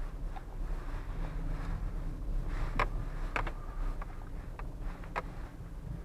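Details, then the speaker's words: Renault Duster driven on rough road; irregular short creaks and ticks from the rear of the cabin over steady road rumble; owner attributes them to door opening rubber seals on a weak body. "Когда едешь по такой дороге, в салоне появляются такие скрипы, особенно в задней части. Довольно неприятные звуки."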